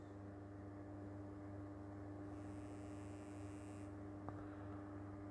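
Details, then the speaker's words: 1940s vibrator power supply for a PCR radio, run from a 12 V 7 Ah battery, gives a steady, even low buzz with one faint click, working normally and producing just over 400 V HT. "So I'll switch it on. You might be able to hear it buzzing away there. Yeah, not a lot going on there. It just buzzes and produces a voltage."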